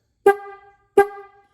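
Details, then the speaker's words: Restored rusty 1950s–60s Ford horn after sanding the points: two short taps give a clean, crisp steady tone with no rasp, though it turns scratchy when held on; normal horn tone. "it's really nice and crisp."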